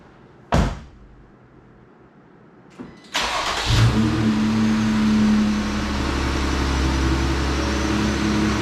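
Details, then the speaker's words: 2020 Jeep Gladiator 3.6 after a cylinder 2 misfire (code P0302, flashing check engine light): after replacing the failed coil pack, a short crank catches quickly into a smooth, even idle with no stumble, running much better. "so much better so it turns out that the rip coil pack was the issue"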